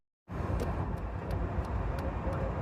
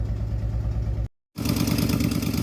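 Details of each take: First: Jeep driving home after a fried PCM was replaced with a new computer and a new shifter bushing fitted: steady, even engine note under road rumble, no stumbles or surging; running great after repair. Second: Jeep with fuel-injected engine, after replacing a part that brought no change, misfire code logged (later found fried PCM): idle stumbles with uneven lumpy beat and periodic dropouts; general ignition misfire.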